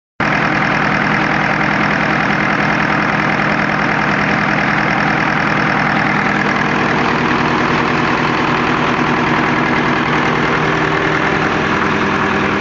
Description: Je trouve que le moteur tourne rond mais il fume beaucoup et claque ???